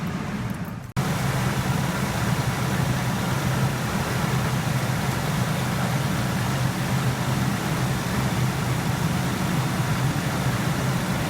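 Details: 2003 Ford F-150 that had a no-start, running after the battery terminals were cleaned: it catches after about a second and settles to a smooth, steady low idle with no misses or knocks; normal idle before the alternator check.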